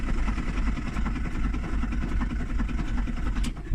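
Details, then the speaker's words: VW Transporter T4 1.9 ABL diesel (60 hp, 230,000+ miles, fuelling turned up): the starter spins the engine fast and evenly with no compression beats or firing. There is zero compression, and the big-end bearings are suspected to have failed. "she's not trying a lot there. So I think it's fair to say the bottom end has failed completely. I suspect that the big ends have all failed, and as a result the engine is more or less knackered."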